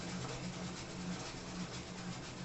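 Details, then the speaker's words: Consul CW608 washing machine on spin cycle: harsh rough rumble with a low thud about twice a second, stopping and restarting as if something is broken inside; cause not confirmed. "Observe o barulho que ela tá fazendo na centrifugação tá centrifuga como que tivesse centrifugando a roupa e aí ela faz esse barulho drama aí"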